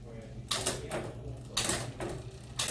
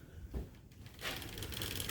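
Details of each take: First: Mountain bike with SRAM GX Eagle drivetrain running a SunRace 51-tooth cassette, shifting through gears; crisp single clicks as each gear engages, no grinding or chatter, nice and smooth. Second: MTB with a SRAM GX Eagle drivetrain and SunRace 51-tooth cassette, just assembled: a quick, light rattling tick as the drivetrain turns, from the slightly long chain rubbing on the rear derailleur.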